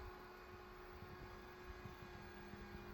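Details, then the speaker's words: Repaired ANERN EVO 6200W hybrid solar inverter on a 48 V supply, idling without load: steady electrical hum and even fan whir; it outputs 230 V with a 358 V bus and draws 53 W, working normally. "Shu turishida holostoy rejim deydi-yu. 53 vatt tortar ekan mana."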